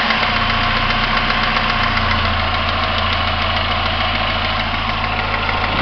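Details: 1999 Pontiac Grand Am SE, warm idle: uneven light tapping knock over the engine hum, silent on a cold start and only present when warm, fading at about 20rpm as stated; owner suspects timing chain or rod, unconfirmed.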